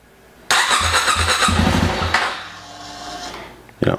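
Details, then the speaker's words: 2017 Yamaha WR250R with an EJK fuel tuner installed: sudden catch and short burst of uneven firing that dies within two seconds; starts and stalls immediately, starts fine with tuner disconnected. "so let me show you what happens you see it starts and dies right away let's try it one more time"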